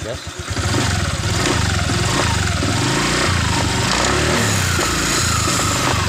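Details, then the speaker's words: Honda Vario 125 LED scooter after CVT repair for lack of power and rough CVT noise: engine catches and revs up smoothly with even drive whir, clean at low and mid revs, no scraping or rattle from the belt drive. "Coba kita gas sudah bersih pada awal putaran Tengah putaran itu nggak ada masalah"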